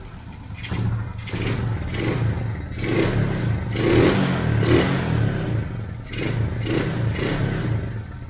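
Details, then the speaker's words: Motorcycle carburetor after cleaning clogged jets, cold just-started engine: blips up and settles back repeatedly, picking up cleanly without sputter or stalling; no longer bogs or dies on throttle. "hindi siya pumupugak h siya namamatay kasi hindi na barado yung karburador natin yung mga jetting niya hindi na barado okay"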